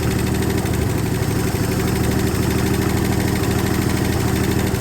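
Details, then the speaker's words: 1968 Ford F100 with 240 inline-six, first start after sitting at least 20 years, no water pump or fan, fuel poured in: rough uneven idle with quick light ticking about two to three per second; owner suspects weak lifters or dry valve train. "I'm shocked. It started. Definitely noisy. So it hasn't run in a long time."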